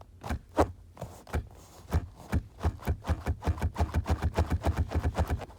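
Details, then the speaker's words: Ford Focus RS front seat, before the shaft-collar fix: hollow knocks, slow at first, then 3–4 a second as the seat is rocked. A loose seat rail bracket lets the seat shift, and it slides in turns. "So this is the bracket here that's allowing it to shimmy."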